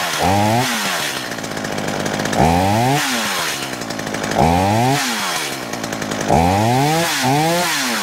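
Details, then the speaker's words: Poulan Pro two-stroke chainsaw, owned about 12 years, on 50:1 synthetic mix, cleaned up for a new season, nearly smokeless. Revs up and drops back about every two seconds, climbing cleanly with no stumble or misfire: healthy. "all right that seems to run pretty good not bad"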